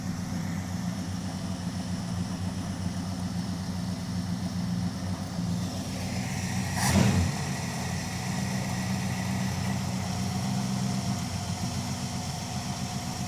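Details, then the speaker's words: Dodge crew cab Charger project with 5.2 L V8, Seafoam in crankcase, just started after a brief tick: steady, even V8 idle with smooth low rumble, no ticking or misses; normal idle. "runs good today. Not really moving around too much."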